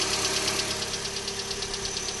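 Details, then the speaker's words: 2012 Hyundai Elantra on a cold morning start: fast, even light ticking over a steady idle, louder on the passenger side, lasting up to 5–10 minutes; cold-start engine ticking, cause unknown. "okay so this is the noise that it makes in the morning and it sometimes it does it as much as 5 or 10 minutes on initial startup"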